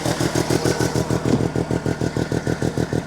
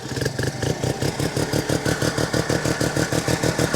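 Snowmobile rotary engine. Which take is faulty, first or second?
second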